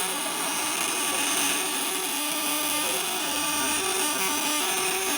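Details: Vibrator-contact inverter, 1 kg core, on a 1000 W load with contacts tightened and rubber-banded against vibration, output stated over 50%: loud, steady high-pitched buzz holding an even tone without stuttering or dropouts; working normally.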